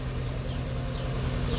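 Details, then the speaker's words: Daihatsu Gran Max after valve clearance adjustment, idling. Steady, even, quiet idle, pure engine rotation with almost no valve tapping; before the adjustment the valves knocked loudly and harshly. "Murni suara putaran mesin saja kalau sekarang. Jadi nyaris tidak terdengar suara ee ketukan klepnya ya."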